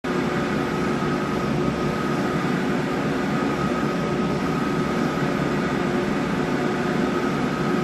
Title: MJP 2500 Plus Strange Noise